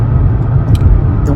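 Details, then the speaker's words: 2007-12 Nissan Altima driving after replacing both wheel bearings: even low road rumble at speed with no roar or growl; the earlier roar is gone and it rides smoothly. "Car's not roaring anymore. It's riding smooth."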